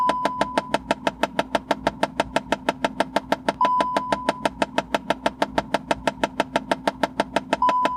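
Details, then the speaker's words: Clicking from under the passenger-side dash of a VW MK7 (GTI), rapid even knocking about three a second, typically on startup or with AC on: failed recirculation flap actuator motor, fixed by replacing it. "Now flat motors on Mark 7s, when they fail, they do this."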